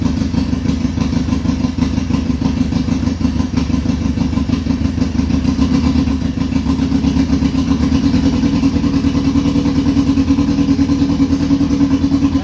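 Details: 2002 Yamaha Fazer 1000cc four-cylinder motorcycle, cold start after sitting over two months, carburetor cleaned: even, busy idle holding steady with no dropouts or stumbling; all four cylinders firing cleanly.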